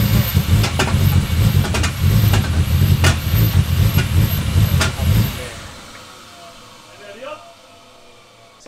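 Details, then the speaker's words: Ford Barra engine turbo swap in EF Falcon, first start: deep, lumpy low thumping about two per second until shutdown; MAP sensor left unplugged, leaving a large hole in the intake causing a vacuum leak and the weird noise. "we figured out what was causing that weird noise so we didn't have the map sensor plugged in so there was a massive hole in the intake right here"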